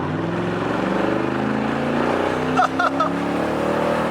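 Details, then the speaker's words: 2007 Toyota Tundra V8 with the exhaust off before a dual exhaust install: loud, raw, deep roar climbing steadily in pitch at full throttle with no muffling; straight-piped exhaust. "that's ready that's crazy straight up muscle car"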